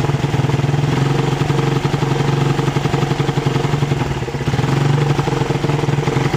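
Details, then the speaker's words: Suzuki Satria FU 150cc, carburettor fine: engine pulls up on throttle but breaks up and stumbles unevenly; misfire on acceleration from a loose ignition coil socket, tightened as the fix. "setelah kita cek Tadi masih brebet ya teman-teman ternyata untuk soket ini masih kurang rapat ya kita Kencangkan kembali ya teman-teman ini agak longgar ya"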